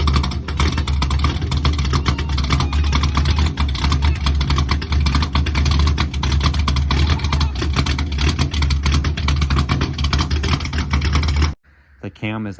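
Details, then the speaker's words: C3 Corvette stock-bottom-end Chevy 350 with aluminum Pro Comp heads, Comp 292H flat-tappet cam, 1.5 roller rockers, before turbo: deep loud V8 rumble with uneven loping beat about ninety pulses a minute; normal lopey idle from the aggressive cam. "As far as the choppiness of the cam, I'll try to put a little video clip here of it before it was turboed, just to give an idea of what it actually sounds like."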